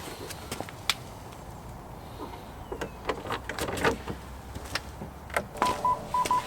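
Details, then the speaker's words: BMW E87 after replacing failed parking sensor and refitting bumper: after handling clicks, steady run of short, even high beeps in reverse; parking sensors working normally again. "So the bumper's all back on now, fully fixed, checked again, and the parking sensor is still working, which is great."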